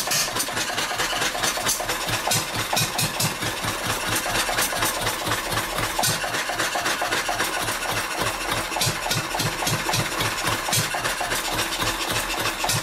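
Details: Old Wolseley stationary engine from Birmingham, England, built for sheep-shearing, with its fuel shut off: sharp popping beats about four a second, faltering and uneven, running hit and miss as the fuel runs out before it quits.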